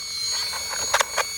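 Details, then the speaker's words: Traxxas Maxx RC truck with Sledge rear shocks at a skate park: high electric motor whine with sharp rattling bursts as the drivetrain skips; owner suspects a shot plastic spur gear. "Spur gear, I think. Sounds like a spur gear. Still a plastic spur gear in here, so I think it's shot."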